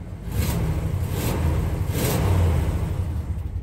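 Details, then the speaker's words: 1956 Ford F-250 long-bed step-side V8 with four-speed manual, 58,541 miles, idling during a test drive: steady deep rumble with even firing and no knocks or ticks; engine sounds very healthy, running normally. "Engine is very healthy, running very good."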